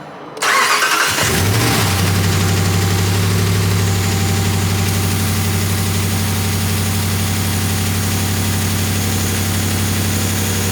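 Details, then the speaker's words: 2019 Ram 5.7 V8 no-start after the fuel tank was refitted and fuel pressure restored from an empty tank (fuel had sugar in it; oil and filter changed): brief crank, then it catches and settles into a steady, even, smooth idle. "So you can see we are running, we have fuel pressure."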